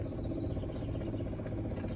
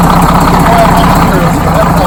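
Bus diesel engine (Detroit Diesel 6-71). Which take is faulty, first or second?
first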